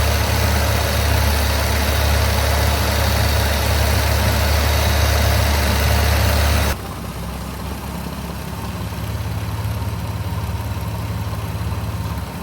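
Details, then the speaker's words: Rally car after carburettor tuning (mixture leaned) and new clean spark plugs; this is the after-tune clip, following a pre-tune unstable idle. Steady, even idle, about three to four pulses a second, no stumble or hunting. Normal idle. "Now with the engine running smoothly, we just had to go deal with the brake lines,"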